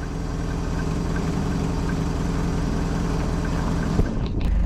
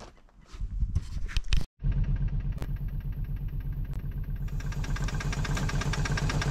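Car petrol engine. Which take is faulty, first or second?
second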